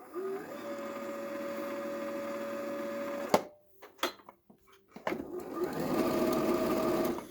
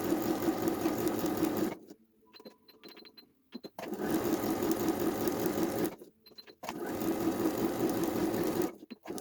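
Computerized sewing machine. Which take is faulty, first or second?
first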